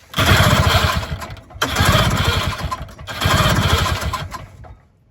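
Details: 1970 Ski-Doo Olympic two-stroke snowmobile after 3-year restoration, choke via coat-hanger linkage: three rough pull-start bursts that sputter and die without catching.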